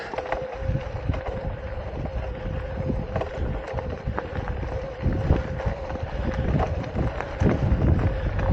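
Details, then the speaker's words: E-bike under pedal assist level six: irregular light clicks and rattles over a steady motor hum, like marbles, worse climbing hills; rider suspects rear sprocket or chain trying to jump, though shifting works fine; unconfirmed. "rom and then after I do a ride and I'm even on flat ground it sounds like Marbles and then the bike sits there overnight and maybe it's coming from the rear sprocket that noise like it's trying to jump a sprocket"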